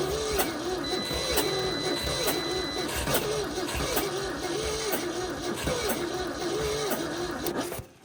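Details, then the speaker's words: 1971 Ford F250 parked for 30 years, cold at −15 °C, jumper-wired with the battery at 11.8 V: slow, laboured cranking with a starter whine that rises and falls about once a second. It never catches; stuck valves are suspected. "Sounds like it has some stuck valves. Here's some weird stuff going on there."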